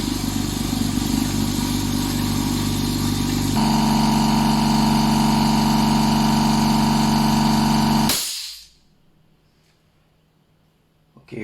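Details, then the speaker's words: Upgraded 10-litre double-piston, double-fan 1HP air compressor filling to the red line in about 1 minute: steady motor hum with an even piston beat, then abrupt cut-off to silence; normal operation. "So untuk pump tekanan angin ni, dia ambil masa lebih kurang dalam 1 minit nak penuh sampai ke red line ni. So kita test bunyi dia."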